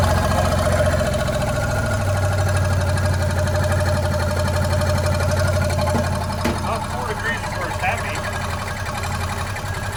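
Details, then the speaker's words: 1964 Willys Jeep CJ5 with swapped-in Chevy 4.3L V6 after setting timing to about 4 degrees BTDC: smooth, steady low idle with even beat, no stumble; runs much better. "But I'll fire it up. You can see how much better it runs."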